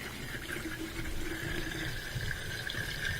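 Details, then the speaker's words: Miele dishwasher after clearing a clogged air gap (debris such as a fish bone in the blue tube): a steady pump hum with water rushing and gurgling evenly down the drain. Normal draining. "I can hear it draining and I can see it draining so that was the reason the dishwasher was not draining is that had a clogged air gap"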